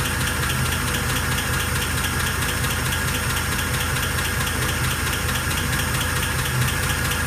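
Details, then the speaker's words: 1948 Pontiac Torpedo with cast iron head at idle, restored and newly started: light, loosely regular tick about twice a second over steady idle, heard lower on one side, suspected near the front cylinders' lifter spring area; source not confirmed. "it's on that side yeah yeah i'm almost five it's about more the lifter spring area behind that"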